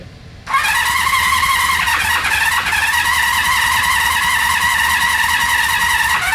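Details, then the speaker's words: Honda CB350F inline-four, 350cc, sat since the 1980s with mud wasp nests in cylinders, electronic ignition: starter spins up into an even high whirring crank with no grinding or slipping; normal starter cranking, owners suspect timing off. "starter sounds good come on"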